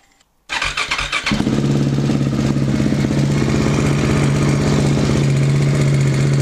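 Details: KTM 690 single after Rally Raid mechanical cam chain tensioner set to pressure point plus half turn: fires up into even, steady thumping idle, no rattle or clatter; healthy normal idle.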